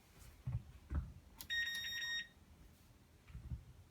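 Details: Whirlpool Cabrio washer that won't start, lid lock flashing: a single steady high beep under a second amid quiet handling. No-start error; a technician found the load-size sensor motor had failed, not the lid lock.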